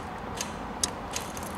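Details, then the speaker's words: 1991 Nissan Sentra that won't crank: turning the key gives a faint, sharp click or two, then nothing, the starter never spins the engine; starter click, no crank. "you can when you turn the key you can just kind of hear it the starter just kind of click so let's take a look at this one"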